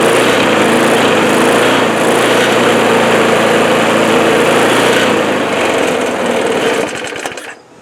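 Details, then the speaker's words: Old Craftsman mower after cleaning and refitting original carburetor and tank and a primer bulb from the other tank; steady even buzz at constant speed, no misses or sputter, then winds down; running well, no more smoke. "As you can see, it's running good. There's no more smoke from the motor."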